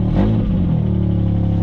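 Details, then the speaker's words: V6 vehicle at Copart auction with 72,000 miles, exhaust ripped out completely: short, very loud, deep raspy unmuffled rev settling into rough booming idle; possible busted oil pan suspected. Missing exhaust. "well that means the exhaust has been ripped out completely not the engine you can hear it"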